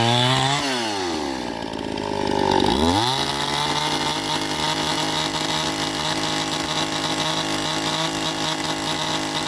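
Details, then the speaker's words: Stihl MS261 first-generation chainsaw at 7,000 ft, ported muffler, rebuilt Zama carb, 30:1 91-octane ethanol-free mix, high-circuit tuning: slight four-stroking burble at high RPM, pointing to a slightly rich high-speed setting, clearing in the cut. "so you can hear it it's still four stroking a little bit there in the high and at the high RPMs and then she settles down once you put her in the wood"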